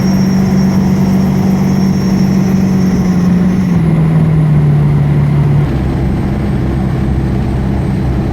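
A steady tone holds over the engine hum, then drops twice in steps as speed changes; some unexplained whine.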